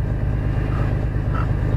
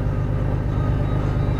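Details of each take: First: Engine idling after a water pump replacement (the old pump had 40,000 miles and was clearly bad). A failing accessory bearing gives a turkey-call warbling chirp over the rumble, worse after sitting overnight. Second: Engine idling after a water pump replacement: loud, steady, even low rumble with no pulsing. Idle is smoother than before, when the shifter shook violently; the owner suspects the VTC gears, known to need replacing, may be noisy.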